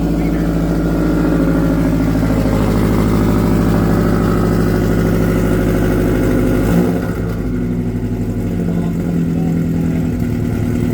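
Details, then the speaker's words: Subaru with exhaust damaged in an earlier accident, muffler off, complete straight pipe, not quite a cold start: loud raspy droning exhaust rising with revs then settling; "doesn't sound good, just loud", straight pipe exhaust. "It doesn't sound good though. Really? Like, it's just loud, really."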